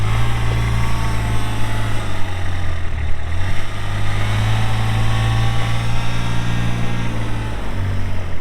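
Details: 2023 Kubota RTV-X1100C diesel utility vehicle, 1,499 hours, 3,330 miles; steady low diesel rumble with an even beat and no knocks or misses; a healthy idle.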